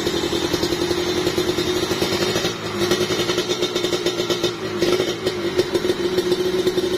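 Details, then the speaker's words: Kawasaki Ninja two-stroke with newly fitted bored-out (OB) cylinder block: quick, even, dense idle with light crisp exhaust and no knocking or rattling, smoother than the rough un-bored original block. "nah ini yang suara yang di OB padet banget soalnya tuh halus jos"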